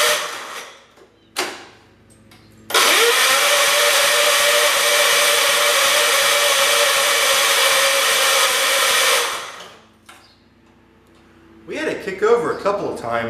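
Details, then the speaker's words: John Deere garden tractor with newly fitted carburetor, not running: starter whirs with even cranking beats about three per second but engine never fires; starter seems to bind, owner suspects it is hitting something, unconfirmed. "it's getting caught on the starter for some reason I think it might just be hitting this I'm pretty sure that's all that noises might be"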